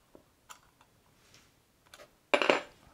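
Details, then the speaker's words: Electronic shift-on-the-fly transfer case from a 2004 F-150, installed in a Bronco and opened up: a few light ticks, then one solid metallic clunk as it locks into four-high, front driveshaft turning with the rear. Normal 4WD engagement. "four high and as i come up you'll hear this clunk okay it wasn't very loud but now check this out you can see the front drive shaft everything is locked together"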